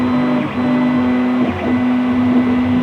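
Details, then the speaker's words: 3D printer extruder feeding welded filament: steady motor tone broken by irregular clicks about once a second as the extruder tries to grab but can't push the filament through. Extruder clicking, filament not feeding. "I could feel it when I was holding it above there you could just hear it clicking or feel it clicking trying to grab but not be"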